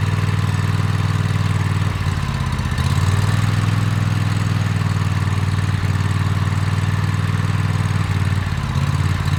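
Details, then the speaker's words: Toro TimeCutter MX 4200 V-twin mower idling rough, sagging and recovering every few seconds, hesitating while driving; fuel, plugs and filter replaced and valves adjusted, cause found to be failing ignition coils. "So you guys can hear it idles and it drops down, idles, drops down, idles, drops down."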